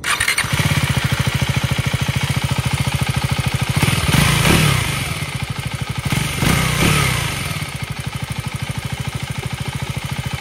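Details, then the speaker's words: KTM Duke 390 Gen3 single-cylinder (398cc per owner) at 10,000 km, idling and blipped: steady fast light ticking over the idle thump. This is tappet noise; the service centre called it normal, but the owner is unsure whether it is a defect. "ఈ engine ఒక విభిన్నమైన శబ్దాన్ని చేస్తుంది. దీనిని టాపెట్ noise అంటారు;"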